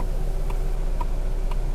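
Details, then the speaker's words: Lada Niva 4x4 with a glitching alarm flashing the turn signals while everything is switched off: crisp, perfectly even relay clicks, about two a second, over a low hum. "вот пожалуйста сигналка заглючила опять а то люди мне там пишут что типа поворотники а забываю постоянно выключать"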